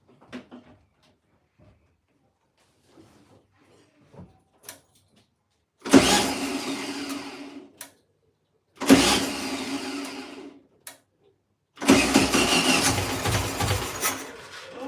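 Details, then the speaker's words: 1972 VW Beetle, first start in over 2 years, carb primed with fuel: three separate two-second bursts of grinding cranking with long silences between, the engine barely catching; the owner suspects a wrecked starter solenoid firing only once at a time. "I think the solenoid on this start mode is absolutely wrecked which is why it only seems to be like firing once"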